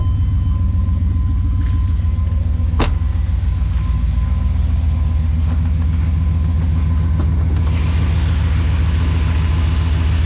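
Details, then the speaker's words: 1996 Chevy K1500 V8, cold start after MPFI conversion to fix fuel dumping and a P0300 random misfire: steady, even low rumble with no stumble or skipped beat, revs up better; normal idle. "sounds a lot more clean even revs up better too"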